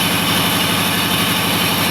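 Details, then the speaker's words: 1995 Chevy 350 V8 with IAC valve unplugged after reset, idle screw being adjusted with Torx T20, reading 1600 rpm before being lowered to about 1000; fast, steady, busy idle with even beat, no stumble; idle set too high. "so with the torx t20 screw we go to the front and adjust the idle screw after turning it we're now at 1600 so we got to go more"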